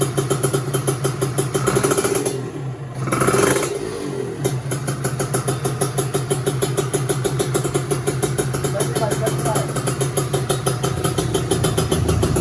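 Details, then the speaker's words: 1996 Kawasaki Ninja two-stroke, modified with a large carburetor, started up. It crackles into life and settles into an uneven, ragged idle that sounds slightly bogged, which the owner attributes to the big carburetor. "untuk suaranya agak sedikit ngebok ya, soalnya karbunya besar, Teman-teman."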